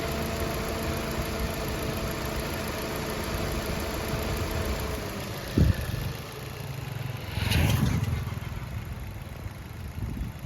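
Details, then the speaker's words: 2021 Maruti Ignis petrol, about 20,000 km, idling after its noisy water pump was replaced and coolant refilled: a low, even idle with a couple of brief blips and no rattle or whine. The earlier noise is gone. "ആ ഒരു sound പോയി ട്ടോ"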